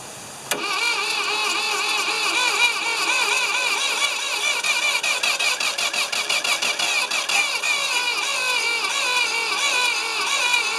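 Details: Ford 2600 tractor on a temporary fuel tank, in neutral with choke on: steady starter whir with compression pulses for about ten seconds, never catching; it cranks but won't start and the plugs were probably flooded.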